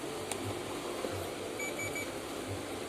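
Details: LG inverter front-loading washing machine control board, damaged track repaired with wire: short thin high multimeter beep over room hum, continuity present, track restored.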